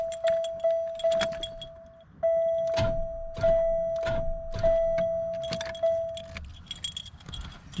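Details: 1996 Buick Park Avenue 3800, 134,000 miles, lost all power while driving, oil not milky: sharp single clicks on each key turn over a steady warning chime, engine never cranks; owner suspects a seized engine, serpentine belt removed to check.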